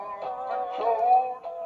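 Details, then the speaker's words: Early-1980s Sanyo MG80D auto-reverse Walkman-style cassette player: music wavers and sags in pitch with slow wobble as the tape drags in one direction; drive belt probably barely hanging on, to be replaced. "you can hear that tape dragging can't you but if I move it the other way on the Coconuts there we go so I think what it probably is is the belt's almost there it's just hanging on I think by winging a prayer"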